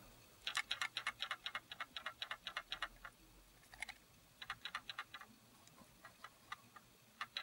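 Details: Canon Legria HF R306 camcorder gently shaken side to side: clusters of sharp light clicks in quick bursts with each shake, then stop; something loose rattling inside the body, battery also has play; cause unconfirmed.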